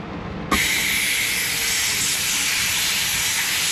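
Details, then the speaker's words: International 4900 truck air brake parking valve leak: sharp steady hiss with no rhythm, air escaping around the valve stem; a loose screw was tightened and the leak slowed but continues; valve to be replaced. "Okay. It's not leaking as fast, but there was a screw loose right here. A screw loose. Yeah. Plenty of those. So, yeah, it's coming out around this stem right here."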